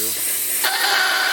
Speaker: compress there so you just blow this up once you hear that sound that kind of spraying sound and you'll feel it